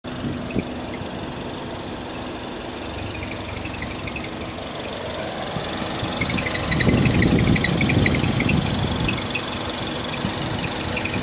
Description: 2009 MINI S making a weird squeaky noise from right front passenger side.